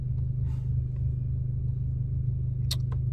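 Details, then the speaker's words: VW Golf 6 GTI, warm after a drive with full-load runs, following a timing check, oil pump replacement and cam phaser control fix: steady idle with an even pulse and no misses, ticks or knocks, zero fault codes; healthy. "Donc là, je suis revenu de ma petite vadrouille, donc tu vois, le régime moteur, il est magnifique. Il n'y a plus de saut, il n'y a plus rien. Impeccable."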